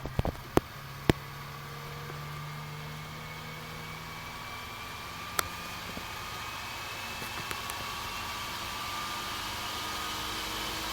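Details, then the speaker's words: Dell GX280 desktop powered on, no POST: clicks then fan rush gradually growing louder without settling; cause was insufficient heatsink pressure on the left side of the processor. "this thing seems to be quiet although you don't get a post on the screen at all and the fan gradually gets louder"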